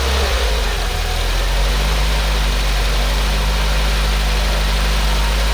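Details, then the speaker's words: Peugeot 205 1.6 GTI at its first proper start after repairs: a steady, even low idle with a smooth, unbroken beat and no knocks, ticks or rattles. Sounds healthy but cuts out after a few seconds; owner suspects a fuel blockage. "okay i'm not quite sure why it's cutting out after a few seconds but that sounded relatively healthy i was quite happy with how the engine sounded"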